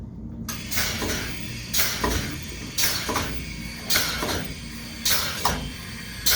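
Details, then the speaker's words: Graco Python XL DA25 pneumatic plunger chemical injection pump on an on-off cycle, manually started with the fluid column drained: sharp air hisses about once a second over a thin rattle while it runs dry and self-primes. "the pump is running on an on-off cycle right now but we can manually start it to demonstrate that it's going to basically prime itself"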